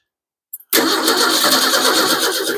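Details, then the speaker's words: 1953 Ford 4x4 with carburetor, choke set: engine catches hard on cranking, runs roughly under two seconds, then dies abruptly; probably needs gasoline, as it was expected to run out after last use. "I think it needs gasoline remember I said it would run out last time I was using it"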